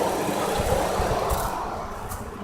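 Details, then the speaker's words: Chrysler Concorde 2.7L after timing chains, guides, cam gears and water pump job, idling warm about 20–30 minutes, heater hot, no overheating or warning lights: soft even hum, light background rattle, no ticking or knocking; normal smooth idle. "I'm very happy very satisfied this engine runs so beautifully smooth"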